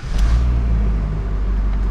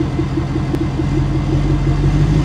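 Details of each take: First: Ford F-250 6.7 Powerstroke diesel after engine swap, backing off the lift: deep, even rumble pulling away smoothly with no knock, rattle or miss; runs like new. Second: 6.7 Powerstroke in a Ford F-250 whose oil showed lots of metal, just restarted: deep revving with an uneven puffing cough as revs drop, like a blow-off valve; the wastegate fluttering is suspected.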